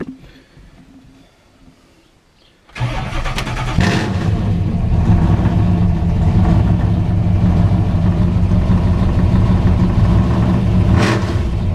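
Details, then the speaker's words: New 481 engine with twin carburetors, fuel pressure restored, fourth test run attempt: cranks briefly, catches cleanly and settles to a steady even idle, no misses or knocks; normal start before warm-up and road test of belts. "oh yeah Fire's up pretty good all right we're going to let it warm up for a minute then we're going to head down the road"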